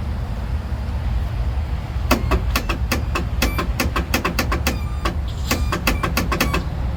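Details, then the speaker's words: Craftsman Turbo Twin 42-inch mower with 20 hp Briggs & Stratton opposed twin, sitting about five years, on a jumper pack: rapid dry clicks about four a second, engine never rotates. Won't crank. "okay it won't even it won't even turn over"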